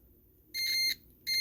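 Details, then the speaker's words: Multimeter on continuity across a golf cart charger (Powerdrive) relay's normally-open contacts: two clean high beeps when the contacts are closed, showing a complete path that lets the 110 V through. "What I'm doing, when that closes, it completes the path between these two."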